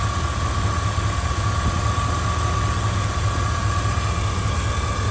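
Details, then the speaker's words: 1989 Suburban with a 3-inch exhaust, idling after a replacement alternator fixed the old one's grinding and now charges at 14.4 V, gauge/idle fuse fixed: steady, even idle with a faint constant tone, no grinding, healthy. "Listen to how quiet it is. That 3-inch exhaust sounds really, really sweet. It sounds super good."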